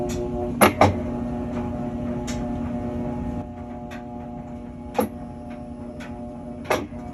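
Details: Whirlpool washer that hummed and would not spin due to a bad capacitor: steady low motor hum with a few soft drum clunks; washer running normally.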